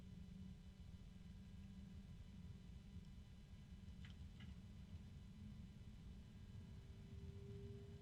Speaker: there's um friction in the fan it's fairly quiet I don't know if you can hear it here a little bit of rattling and there's a harmonic